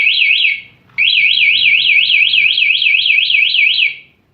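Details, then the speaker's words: 2018 Honda Vario 125 eSP fitted with a remote alarm and locked: a bump sets off a loud high warbling siren sweeping about three times a second, which pauses and restarts, then stops automatically; alarm triggered by the bump as designed. "Saat lock, motor senggol akan bunyi. Jadi otomatis mati sendiri. Senggol lagi, mana saja. Lebih panjang bunyinya."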